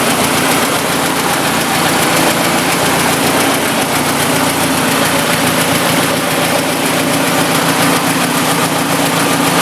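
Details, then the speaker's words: 1956 Ford NAA tractor, 134ci four-cylinder, after converting from points to Pertronix 1244A electronic ignition: even, steady idle with a smooth low drone, no misses, knocks or hunting; peppier than in years, running like a sewing machine. "I can tell it's peppier than it has been in years. It's running like a sewing machine."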